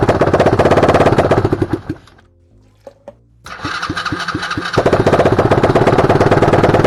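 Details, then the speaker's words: Used Chinese 125cc electric-start engine after a full rewire and fresh 93 fuel: it runs choppy, dies, then catches on a few cranking pulses and settles into a steady idle, smoking a little. "It smoked a little bit, but it started. Okay, ready? Yeah, let's kill it. There we go. See? It runs."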